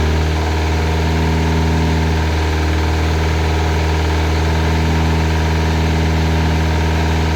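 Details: Classic Mini with turbo, first start after build: steady low idle with a light, fast ticking knock about four per second, felt at the side; sounds almost like a big end but located under the rocker cover. Valvetrain knock.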